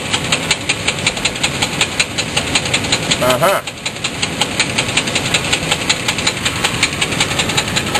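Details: Sharp, regular banging at about three knocks per second under a hissy idle, persisting with throttle; loud knock or rattle, suspected possibly to be a loose torque converter bolt, source undetermined.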